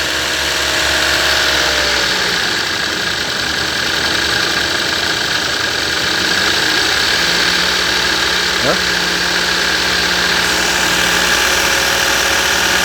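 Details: 2016 Toyota Yaris at idle: constant high, hissy whine that stays fixed with engine speed, first thought to be the VVT-i gear but traced to a noisy alternator.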